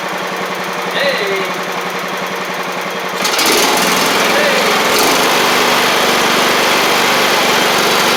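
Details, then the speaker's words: John Deere L110 riding mower engine, after fitting a fuel pump to cure flooding, catches after quiet ticking and settles into a steady, even drone; the fuel pump was the issue. "that was our issue let's get it out here and see what it'll do"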